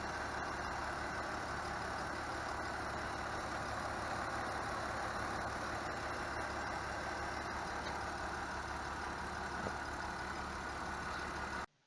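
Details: BMW E46 idling after valve clatter was fixed and the noisy tensioner pulley replaced: even, smooth, low drone with no chirp or rattle from the belt side; normal idle.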